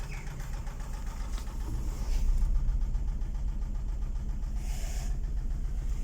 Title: Стук в двигателе Дэу Нексия